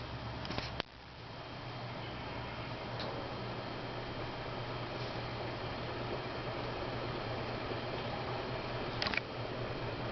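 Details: January 1990 SMC Laguna 36-inch ceiling fan, after cleaning and oiling, running in reverse on high: low, even motor hum with a few sharp, scattered ticks every few seconds; fan also shakes and needs balancing; cause undetermined.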